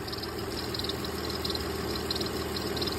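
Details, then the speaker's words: 2004 Lexus ES330 engine running with serpentine and power steering belts removed: high, squeaky chirping from behind the timing cover, louder when revved; worn timing belt with wear marks. "you can hear it uh a little bit not as loud as it was before but it kind of sounds like a chirping"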